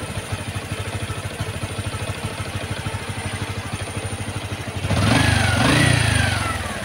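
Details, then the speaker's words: Honda XRM 125 Fi single-cylinder motorcycle after overhaul for engine knock, ignition wired direct; an even, steady idle beat with no knocking, then a smooth throttle blip that rises and falls cleanly, and the engine sounds healthy. "Tingnan nyo yung makina o. Hindi na masama."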